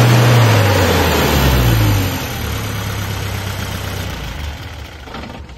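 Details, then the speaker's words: Isuzu 4HL1 turbo diesel truck with an intermittent no-start, where revving used to set a trouble code and then it would not restart. Now running steady with a deep even rumble after rev and restart, with sensors installed; it starts every time: normal running. "So ngayon is kahit anong revolution revolution mo so aandar na siya mga boss. So goods na goods na mga bossing."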